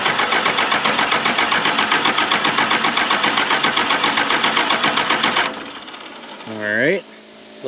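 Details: 1996 Dodge 2500 with a 12-valve Cummins, sitting 15 years, fuel control set to on (no shutoff): steady cranking at about four compression pulses a second, no firing; injection lines cracked, fuel at the pump not looking promising.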